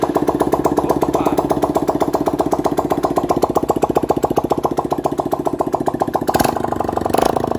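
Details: 160 cc motorcycle after engine repair, no exhaust fitted: loud, crisp single-cylinder popping at a steady idle, even and clean with no knock or tapping; earlier it was hard to start with loud wear noise.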